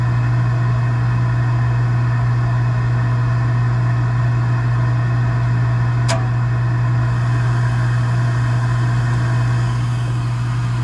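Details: Gas package unit, newly replaced draft inducer motor (old one was extremely loud, like a lawnmower), during heat call while burner failed to light: steady even low constant hum, no rattle, scrape or wobble; inducer runs smoothly, normal.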